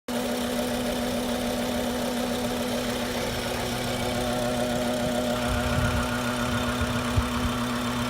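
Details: BMW F10 535i with N55 engine at smooth idle: a steady buzz with irregular light clicking over it. Cause was a faulty boost control solenoid; the noise was gone after it was replaced.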